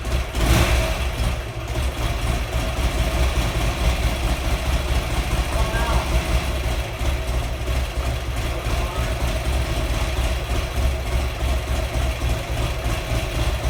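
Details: Buell XB12R V-twin on its first start after rebuild (earlier found water in the engine): heavy, uneven lumpy low thump with no steady rhythm; rough running.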